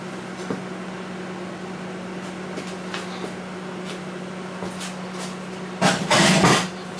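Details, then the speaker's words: Panasonic high-power inverter microwave after fuse replacement, heating water about a minute until steaming: even low hum with fan whirr and a few light knocks near the end; heats normally, the only fault was a failed fuse. "so this microwave works all that was wrong with this microwave is the the fuse blue"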